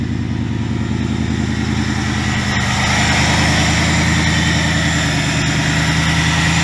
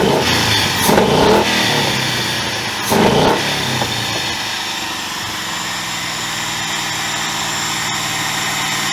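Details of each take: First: 2000 Ford Mustang GT with a Lincoln Mark VIII 4V swap engine, idling after fixes for earlier sputtering (idle air control change, ECU board cleaned with electrical cleaner). Steady, even V8 idle with a firm low burble, no misses or stumbles: normal idle. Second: 2000 Ford Mustang GT with a Lincoln Mark VIII 4V swap engine. Two quick blips, then revs hang high about four to five seconds before settling to idle. Owner attributes it to the ECU being from an automatic 2003 Mercury Marauder: hanging idle after rev.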